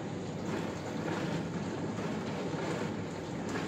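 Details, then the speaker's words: Arçelik dishwasher after replacing faulty pump capacitor (had motor noise but no circulation/washing): steady even rushing water spray over low pump hum, no grinding or strain; spray arms working, washing normally. "Üstün plast pompasını taktığımız kondansörden sonra makinemiz normal sesine ulaştı. Fıskeler çalışıyor şu anda."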